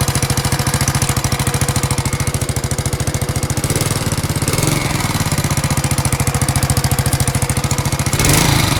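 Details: Alfa moped small engine with new piston kit, valves not leaking, magneto and clutch fine: sharp even knock about three and a half per second over idle, tracking engine speed; source not identified.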